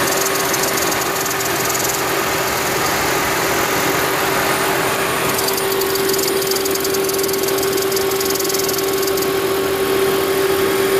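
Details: 2010 Toyota Prius, over 300,000 miles, idling: steady airy hiss over a constant mid-pitched tone; likely the EGR valve not fully closing, as the hiss disappeared after removing and cleaning the EGR valve.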